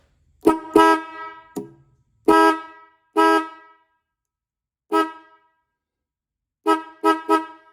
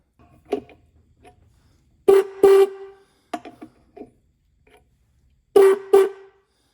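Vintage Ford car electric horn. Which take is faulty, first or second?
second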